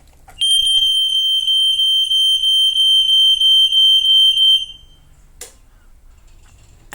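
A loud, shrill, pulsing tone runs about four seconds, then cuts off cleanly: the smoke alarm sounding its full alarm during reset.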